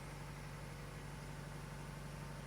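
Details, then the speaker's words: 1997 Toyota RAV4 with steel header and downpipe, newly welded custom exhaust on old gaskets, idling to check welds for leaks: smooth steady low idle, even exhaust note, no puffing or ticking at joints; no exhaust leaks. "I started the engine to check the exhaust pipe for leaks. I still have the old gaskets installed, but I'm more concerned about the welds. So far everything looks good, and I don't hear any exhaust leaks."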